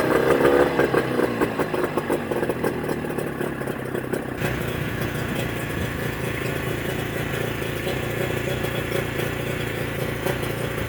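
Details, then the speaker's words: Mercury 25 HP two-stroke outboard after Boyesen power reeds installed, in neutral, idle being adjusted; steady burble with fairly even beat, no stumbling or surging, running very good: normal idle. "send me your reaction again running very good hey it works great"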